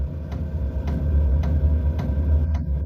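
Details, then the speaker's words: Diesel heater during startup after the preheating phase; light, evenly spaced ticks about every half second over a low fan hum. The diesel dosing pump is clicking normally as it begins injecting fuel, followed by slight combustion noise. "Uh, and now you can hear a slight clicking sound. That's the diesel pump which is now injecting the fuel."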